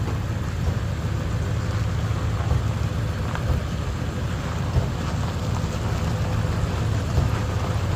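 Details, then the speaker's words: Ford 7.3 Powerstroke diesel after replacing suspected bad crankshaft position (CPS) sensor for cutting out/no start: steady low rumble, even beat, no stumbles or cut-outs; running normally after fix. "Well, been running for about 10 minutes. It's a good sign."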